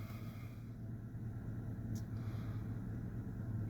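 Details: Truck idling after temporary metal-tape and hose-clamp patch on a cracked exhaust pipe, the cause of earlier no-start and RPM problems, replacement part due Friday; low steady rumble, even beat, no hunting or stumbling: normal idle.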